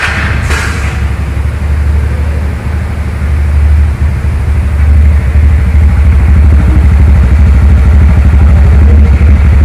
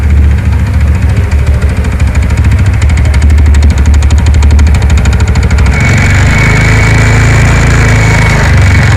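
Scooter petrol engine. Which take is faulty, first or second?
second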